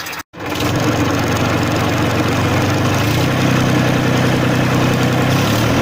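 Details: 1994 Massey Ferguson 1035 DI tractor diesel at constant idle speed: smooth steady clatter and low hum, no uneven beats or knocks; normal idle.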